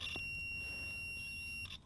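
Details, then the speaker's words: John Deere 1640 MFWD front-wheel-assist clutch pack solenoid on a tractor stuck in 4WD. A multimeter on buzz-ohms across the solenoid's two opposite terminals gives a steady high beep of about 1.5 seconds. Continuity, so the coil is intact. "you can hear the hear the noise so you have an audio visual you have the sound and you have a reading on the gauge"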